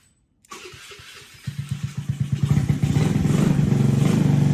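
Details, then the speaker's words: Honda Navi, crank-no-start, allegedly run through water and dirt, after swapping the dirt-clogged carb for a new untuned 19mm Nibbi carb, gasket not fully dry: cranks briefly, fires in about a second, settles to an even putter; normal start and idle. "that seems promising it seems like it's fixed cuz with the old carb wherever that is it had zero like Fires at all like for trying to get it to run"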